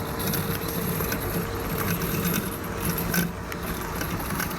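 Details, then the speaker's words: New Husqvarna Automower battery robot mower in its first week, cutting grass: soft even low hum with faint higher whir, very little motor or blade noise, no knocks or rubbing; cutting normally and quietly. "So as you can tell, it's quite quiet. There's very little noise either from the motor that's driving it or the blades that are spinning underneath."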